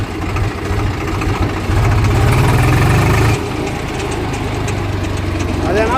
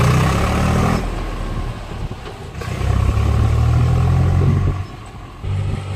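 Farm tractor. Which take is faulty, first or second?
first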